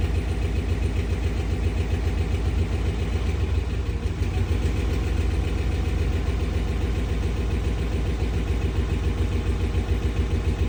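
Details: 2013 RAM 1500 5.7 Hemi V8 cold start, lumpy uneven idle with irregular stumbles, code P0300 multi-cylinder misfire; recorded after tightening the passenger-side flange.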